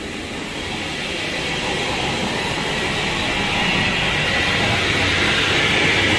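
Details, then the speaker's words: 2018 Ford F-150, customer reported front wheel bearing noise but front corners were quiet: steady howl under road rumble swelling with speed, felt inside, in two-wheel drive; rear differential side bearing and possibly axle bearing worn, rear end needs rebuild. "man rear end is toast oh yeah that's coming right inside that i feel it too it's like this side bearing on this side"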